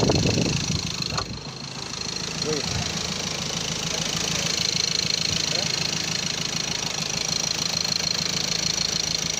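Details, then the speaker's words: Ford Ranger TDCi diesel after rebuild (seized from turbo failure oiling pistons; crankshaft and all four bearings replaced, original turbo cartridge fitted), radiator installed: rough start then steady even idle clatter, no knocks or misses. Normal diesel idle. "በጣም ያምራል። ይሄን ይመስላል እንግዲህ።"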